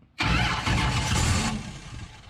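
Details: 1968 Dodge Charger Hemi with dual Holley 450 carburetors, float bowls just filled: the starter turns the engine over for about 1.5 seconds, but it never fires. Wiring was then corrected, and it may be running lean.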